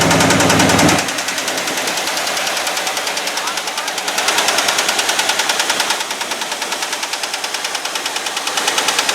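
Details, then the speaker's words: Abandoned 1989 Ford F250 5.8L V8 after battery and fuel injector wiring fixes: loud, rapid, even exhaust pulses at about three per second, steady with no misses or knocks. Normal running, just loud. "it actually sounds like a normal engine for once you do that so that sounds so good doesn't it but that's a loud i think"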